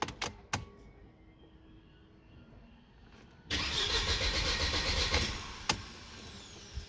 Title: w203 cranking but no starting # bad fuel pump or relay #shorts